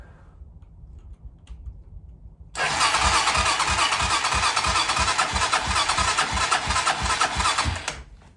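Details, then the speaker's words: 2007 Hawk 250 Chinese dirt bike with starting fluid sprayed into intake: steady cranking pulses about three per second with bright starter whir, never catches; cranks but will not start. "I don't think she wants it. Let's spray just a little more and give it some choke."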